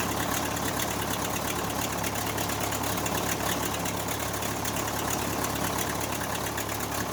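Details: Case 580C backhoe diesel, abandoned and unmaintained, after valve adjustment, injector replacement and fuel stop cable fix; closing start, even rhythmic idle clatter with no misses or stumbles, running smoothly: normal diesel idle.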